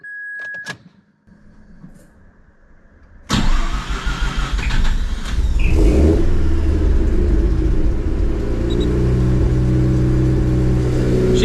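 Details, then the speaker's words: Mazda RX8 rotary, after basic service, cold start before warm-up for a compression test, oil seemed overfull: short whirr and chime, then catches into steady smooth low idle, no funny noises; one unexpected throttle blip. "All right, I'll let it warm up and I'll get back to you guys in a sec. No funny noises."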